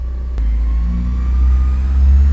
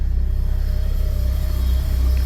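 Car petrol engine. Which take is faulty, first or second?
second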